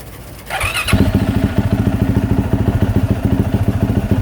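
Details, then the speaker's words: 2024 Yamaha YZ450F after overheating that melted the plastic water spout, idling with drain bolt out while flushing coolant with water: fires up quickly into fast, even single-cylinder thump, no misses or knocks; healthy idle. "I'm just going to let it run like that for a little bit and kind of just flush everything through"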